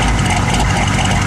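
Steady low rumble at idle with an uneven, lumpy beat underneath; the engine is idling rough, cause not yet pinned down.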